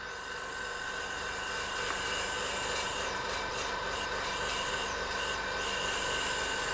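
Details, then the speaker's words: Home-built Jerry Howell Farm Boy hit-and-miss model engine, cylinder pressurised with a small air compressor before its first run: continuous airy hiss with slight flutter as air escapes past a poorly seated intake valve, which needs relapping; exhaust valve possibly leaking slightly. "so that's the intake valve so the seat on the intake valve isn't great and just feel a bit of air coming out so that will need to be relapped"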